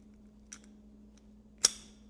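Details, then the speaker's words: Used Mercedes (1973–1989) steering lock assembly, bench test: faint click then one sharp metallic snap as the key is released, the dry, barely lubricated lock bolt rolling into the column, snapping that wears the lock out. "does that have to snap just to go into the steering column? That's where it rolls into the steering column and locks your steering."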